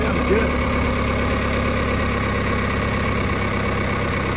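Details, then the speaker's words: 1986 Pontiac Fiero after a tune-up with a new fuel filter and work on the idle controller pintle: a steady, even idle of about 800 rpm with a smooth low rumble and no misses or knocks, and good oil pressure. Normal idle. "Much better. Much better. Yep, idling right about 800, right about where it should."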